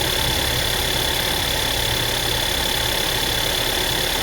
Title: Tiguan MY2009 rattling sound from engine